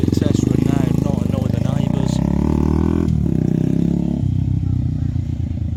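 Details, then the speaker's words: Benelli 125 TNT Tornado single, not yet warmed up, after output shaft bearing collapse repair with full engine strip; steady even exhaust beat without misses or knocks, engine sounds sweet, gears working. "now we mess around the engine sounds sweet and we got Gears"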